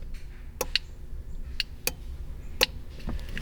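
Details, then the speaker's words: Sharp relay clicks with no motor whir inside a Honda S2000 with an aftermarket Chinese exhaust cutout valve; the control box gets power but the valve motor fails to close it, leaving the exhaust effectively straight-piped. "but the valve isn't shutting. So when we start the car, basically just straight pipe."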